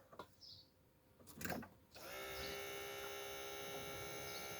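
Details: BMW E36 325 TDS with a hot-start problem: a replacement original BMW electric pump, just reconnected, primes at ignition-on with a steady, clear whine after silence; sounds healthy.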